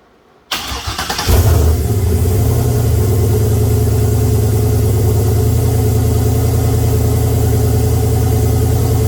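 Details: Oldsmobile 442 V8 first start after rebuild (new cam, pushrods, oil pump, valve springs, heads, gaskets, after broken valve spring and bent valve); catches after brief crank into steady even idle with deep regular burble, 92 psi oil pressure.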